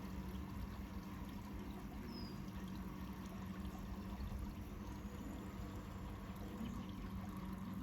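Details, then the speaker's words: Narrowboat engine-bay bilge being pumped out with a large bilge pump held in place at the lowest point; steady low pump hum with gurgling, slurping water and air as the last water goes; pump running near dry, sucking air. "Okay. That indicates that noise that it's pretty much done. Pretty much run out in a second."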